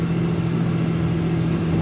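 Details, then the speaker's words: RAM 3500 diesel towing after an exhaust manifold repair and a campground refit of fallen-out exhaust bolts: a thin, steady high whistle over the engine drone and road rumble. Suspected exhaust-brake related but inconsistent, since full exhaust brake is silent. "so can we we're not happy about it it's not as bad as it was it's something to do with the exhaust brake"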